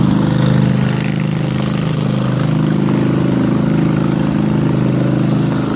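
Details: Craftsman 20.5HP 46" lawn tractor, Kohler Command V-twin, before carburetor cleaning: steady low drone with slight rise and fall in speed, surging at all throttle speeds from a dirty carburetor.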